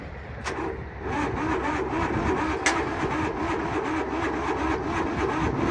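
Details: Steamroller that had sat for a long time, key turned: a slow, even starter chug of about two to three turns a second that never catches; it cranks but won't start, and the battery may have been drained.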